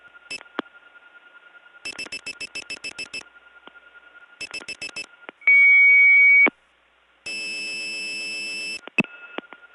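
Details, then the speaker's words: Early-1979 Gainesville, GA step tandem mapping, Flowery Branch test code 105: switch clicks and beep bursts, then a clean steady tone and an answering tone; a 105 test working normally. "105 is a 105 test working this time"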